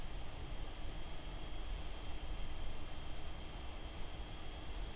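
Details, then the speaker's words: Dell XPS 15 9510 (2021) laptop running Geekbench: steady soft fan rush with a thin, constant high-pitched whistle/squeak on top under load, quieter than the 2020 XPS but still present. "It's not that loud like in the past, like with the old Dell XPS 2020, but it is there, like that whistling sound that's making the pitch a lot more higher than it would be without that squeaky sound."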